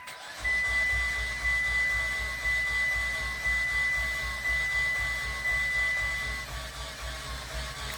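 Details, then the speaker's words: Mitsubishi Outlander with injectors unplugged and fuel sprayed into the throttle body, injectors earlier commanding 40 ms pulse width: slow, even cranking surging about once per second, never fires; crank no start, cylinders fuel-washed, cause unconfirmed. "Still no action with a bit of engine start down there. I don't think we need to go any further with fuel."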